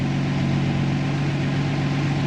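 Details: Jeep Willys with FuelTech programmable injection holding a steady, fast, even idle with a firm low drone and no stumble, higher than it should be; idle setting being adjusted in the software, cause unconfirmed.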